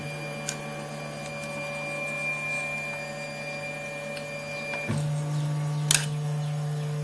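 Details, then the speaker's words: RepRap Wilson TS 3D printer during first calibration prints: steady stepper whine with occasional sharp extruder clicks because the nozzle is too close to the bed. "we're getting that clicking cuz the extruder nozzle is so close that"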